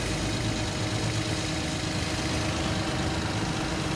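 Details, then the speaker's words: Toyota Wigo with stalling, unstable idle and P160 history code, after injector cleaning: smooth, even idle with steady low hum, no stumbles; no longer misfiring. "hindi na siya palyado"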